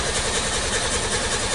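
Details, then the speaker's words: Nissan Sunny Y11 AD wagon after an engine swap, code P0335, intermittent crank no-start, crank sensor plugged in: the starter churns steadily but the engine never catches; the check light goes off. "all right so that exactly the compain is right so you saw the check light came off and the car doesn't want to start the crank sensor plugged in"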